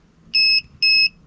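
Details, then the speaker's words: FCHAO 'Peter' 12V inverter connected to a 12V sodium battery at about 15.7–15.8 V. Three sharp double-toned beeps, about a quarter second each and half a second apart, warning of high voltage; the inverter would not start until the battery was below 15.4 V. "and beeps it says 15.8 volts let's see if I can turn on my load which will be my power supply n it doesn't turn on so it seems like the volage is a bit too high for this inverter to actually start up"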